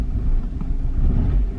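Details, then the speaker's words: BMW 318i E46 Touring petrol engine still idling rough after swapping ignition coils that were supposed to be working: uneven, stumbling low rumble instead of a steady beat; cause not yet found. "is disappointing that is a rough as heck just as it was"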